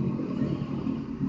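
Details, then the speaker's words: Household water pump motor (dynamo) sounding rough with water slow to rise; steady low rough hum with gritty uneven edge, blamed on a worn bearing inside the motor. "akhirnya lambat naik jadi yang kasar gitu bearing atau laher"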